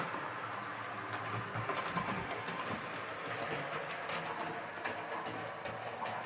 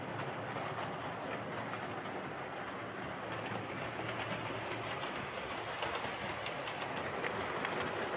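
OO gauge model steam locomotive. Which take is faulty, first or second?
first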